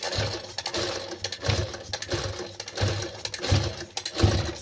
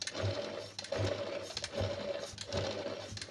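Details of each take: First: Sewing machine run at speed gives a harsh, clattery rattle and uneven knocking, much quieter when run slowly; a dry, unlubricated mechanism lacking oil. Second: Sewing machine after oiling every point, including under the face plate, back and bottom: an even, light stitching rhythm, soft with no knocking or rattle. It was noisy at speed before, and the noise came only from lack of oil.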